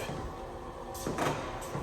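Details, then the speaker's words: NordicTrack 1750 treadmill, newly delivered: low hum then short, uneven creaks and groans from the deck on foot plant and when adjusting incline or decline; the lift-assist crossbar was found loose. "And when you adjust the elevation and when you're walking on it or running on it, it's making a really loud creaking sound,"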